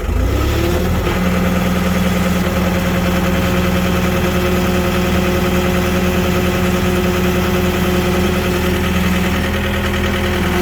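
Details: John Deere skid steer diesel, believed 4-cylinder, with a dead battery, jump-started using a Goodall Start All 10,000 amp jump box: catches quickly and settles into a steady, even idle with no knocks or misses.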